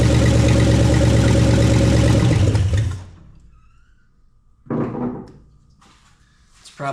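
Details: Plymouth Duster, first start on a little gas poured in the carb bowl. Brief loud raw bark for about three seconds on bare manifolds with no exhaust, then it dies; no knock or rattle heard.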